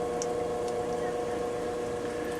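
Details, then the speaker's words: Echo EP2 variable-speed pool pump on low speed, replacing an old 2 hp Whisperflow: only a soft, steady hum with a faint constant tone, no knocks, rattles or surging; normal low-speed running. "i replaced it with this echo pump it's called an ep2 it's a variable speed pump and you can barely hear it right now"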